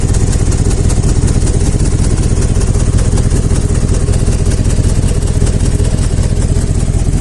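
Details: 2001 GMC 5.3 V8 at idle: loud rapid chuffing pulses over a heavy rumble; exhaust escaping between manifold and cylinder head past broken manifold bolts; left-bank catalytic converter plugged.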